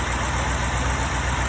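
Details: BMW 645ci at idle just after alternator replacement, steady even smooth rumble with no knocks or squeal; charging voltage rises from 12.3 V off to 14.3 V running, normal.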